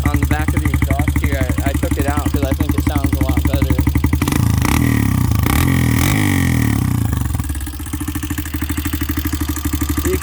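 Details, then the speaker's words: 2001 Honda XR200R single-cylinder bored to about 192cc with a new top end kit, just kick-started: idle at about four pulses a second with a light, fast tick on top, traced with a screwdriver to the valve train. "i listened around with a screwdriver and the sound is definitely isolated to the valve train so it's not in the cylinder or the bottom end or the timing chain"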